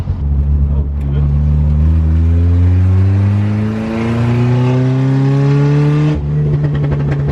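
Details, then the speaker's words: Toyota AE86 on a drive, revved with the open exhaust to about 4000 rpm, then crackles and loud exhaust backfire pops on lift-off; the owner calls it a secret thing the car does, cause not confirmed. "And we're driving the 86, and this thing, I just found out a secret thing that this thing does, and it pops pretty crazy."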